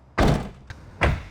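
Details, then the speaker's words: Nissan Silvia S15 door after full soundproofing with STP damping material on the inner and outer door skins and the door card: two closes, each a single deep, short thunk with no rattle or tinny ring; solid, premium-sounding door. "is just a fantastic, yeah. It's just it sounds like a really premium cars when you when you opening your Nissan Silvia."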